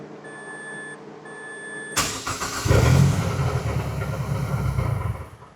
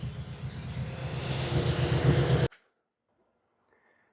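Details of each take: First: Mazdaspeed 6 engine just reinstalled and started after sitting nine years, coolant filled: starter churns, engine catches with a stumble and uneven hiccups, then settles into a shaky low idle; rough start. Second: Mazdaspeed 6 engine first started after sitting nine years, freshly reinstalled: low, steady rumble held evenly for a couple of seconds before cutting off; runs reasonably well.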